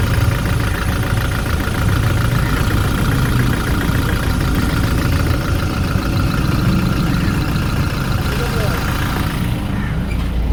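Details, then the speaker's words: Toyota Hilux 1GD diesel with knocking and black smoke, scanner actuation test with the cylinder 3 injector cut at idle: loud uneven lumpy beat instead of a smooth clatter, shifter shaking; that cylinder dead. "ये मैंने स्टार्ट किया, ये इसका शिफ्टर हिलने लग गया और आगे इंजन में इसका साउंड चेंज हो जाएगा।"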